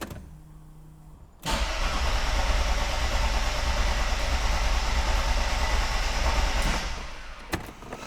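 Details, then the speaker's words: 1992 Mercedes S-Class W126 that died after being parked following a drive to the workshop: starter cranks steadily about three turns a second for five seconds, engine never fires; no-start, cause not yet found. "it simply will not start up again but I have made some further discoveries"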